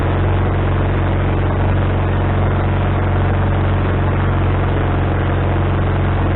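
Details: Wood-Mizer LT40HD sawmill engine with a newly installed replacement carburetor, started after the float bowl refilled: steady, even, elevated hum that never dips to a slow idle. The idle won't adjust down, and the owner suspects he hooked the governor linkage up wrong.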